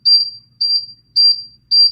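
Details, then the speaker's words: Mobility scooter powered on with the freewheel lever in neutral, in a quiet room: steady high beeps, about one every half second, five beeps; neutral warning asking to be put in drive. "did you hear the five beeps the five beeps say please put me in drive"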